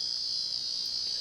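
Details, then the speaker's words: 1990 Casablanca Panama 50-inch Inteli-Touch ceiling fan at first speed: steady high-pitched electrical buzz continuous whenever the board is powered; faulty control board sound driver, suspected bad capacitor or transistor. "so as soon as i turn the power onto the board it'll make this noise and we'll start up on the first speed like i said this noise will continuously be heard until i turn the power off"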